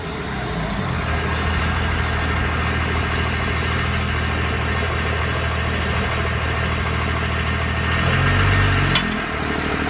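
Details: 2001 Ram 2500 5.9L 24v Cummins HO diesel, NV5600 6-speed, at idle: light tick about four times a second over the usual clatter, owner thinks it comes from the rear end; ticking noise, source unclear.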